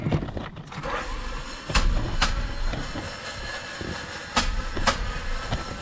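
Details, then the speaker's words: 1992 Honda Prelude that won't start, cranking: uneven clunks and short bursts, no steady starter spin, never catches. Suspected popped timing belt or cracked flywheel/flex plate, unconfirmed; engine to be torn down. "now there's two things i want to check on why this thing won't start the way it sounds it sounds like the timing belt might be popped or the flywheel or flex plate if you will pretty much that's probably pretty much cracked"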